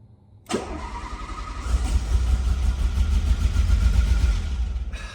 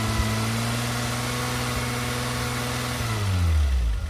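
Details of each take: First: Renault Alpine GTA Turbo pulled from a storage locker after years of sitting, cranking: about five seconds of low, even starter rumble with a clearly audible fuel pump whine, but no catch. Crank no-start from stale fuel and an unplugged injector. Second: Renault Alpine GTA Turbo long stored, after fixing stale fuel and an unplugged injector and clicking the injectors to wake them: steady, even idle without the earlier heavy vibration, then a clean rev rise. Smooth idle and rev.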